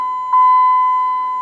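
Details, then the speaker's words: Dodge Ram 1500 with a replacement 4.7 HO V8 from a Jeep Grand Cherokee that jumped timing, key on: clean, steady high-pitched warning tone pulsing about every 1.2 seconds; gauge still reads low oil pressure. "still saying low pressure i don't know what the deal is guys do i have no oil pressure now"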